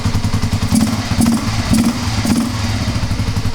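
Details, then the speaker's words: Kawasaki KLR250 dual-sport single-cylinder, rarely starts, kickstarted with sprayed extra fuel: thumps unevenly and surges about twice a second; lean, vacuum leak or dirty carburetor suspected. "My best guess since it lit off so easily with just a little extra fuel is that you either have a vacuum leak which is causing too much air. >> Yes. >> To get in and leaning out the mixture more than it should be >> or maybe just a little bit of dirt in the carburetor."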